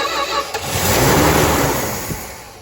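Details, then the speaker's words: 1964 Dodge Dart GT, 273 V8, first fire-up after sitting about 13-14 years: engine cranks briefly, catches cleanly and settles to an even, smooth idle with no misses or knocks; healthy start. "Yep, greatness. Absolutely effortless. Did you hear how smooth this thing sounds?"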